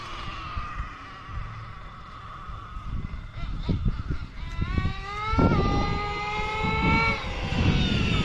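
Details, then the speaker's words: Nitro RC truck (LST) after carb tuning, engine temperature 225–230: screams up cleanly on each pull down the street, pitch climbing and falling smoothly with no sputter or bog, dropping right back to idle; normal running, well-tuned carb. "Oh yeah, that's great. Listen to that. Dropped right back to an idle."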